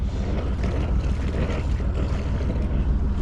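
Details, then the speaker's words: Sailboat engine ticking over at 850 rpm with even low chugging about three beats a second under wind, no misses; earlier ran rough, seemingly on one cylinder, fuel tap found off; now idling healthily. "Ticking over. The rain has stopped. Ticking over beautifully at 850 rpm."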